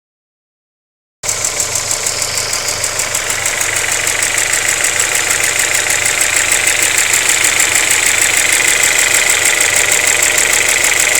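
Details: Vauxhall Zafira VXR petrol engine at idle: fast, even ticking over steady idle, cause not identified.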